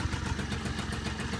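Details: Peugeot Speedfight two-stroke scooter running again after fuel filter work, in a cold workshop: a quick, even putter of about seven beats a second that holds steady without stumbling. It is idling properly.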